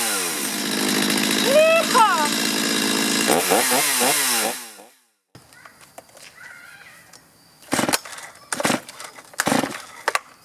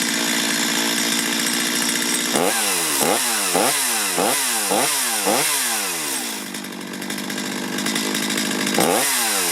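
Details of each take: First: Chainsaw before carburetor adjustment: revs unevenly, stumbling and surging under throttle, then quits. Bogging, a possible sign of a poorly adjusted carburetor. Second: Chainsaw warmed up after carburetor tuning (low side and idle adjusted, high side untouched): crisp two-stroke buzz picks up cleanly on quick throttle blips and returns to a steady idle. Normal running.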